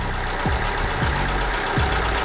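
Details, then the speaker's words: Kia Soul after cam and crank position sensor replacement (codes P0014, P0016): rough idle with heavy irregular thumps about every 0.6 s. It sounds worse, and the knock came from no oil on the dipstick. It idled much better once refilled. "still sounds weird though guys [Applause] I don't know sounds worse he might have some bigger issues"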